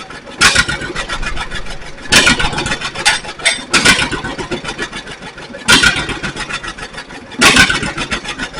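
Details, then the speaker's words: 1942 John Deere Styled B two-cylinder tractor, revived: loud, slow uneven popping in bursts about every second and a half; fires and keeps running as it should. "So, but other than that, everything else looks good. I was glad to hear it start up."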